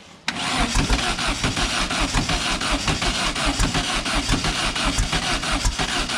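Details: Silver Volkswagen car just fitted with new plug wires: steady rhythmic cranking, about five beats a second, spins freely but never fires; cause found to be plug wires installed in wrong firing order.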